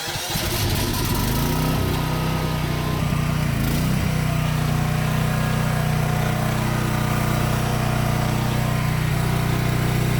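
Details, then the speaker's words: Philking PK9500 tri-fuel generator (gasoline/LPG/natural gas, 9,500 W rated, 10,000 W max) at start before load testing: catches quickly, settles into steady even drone, no misses or knocks; runs smoothly. "So ngayon, i-start natin yung generator."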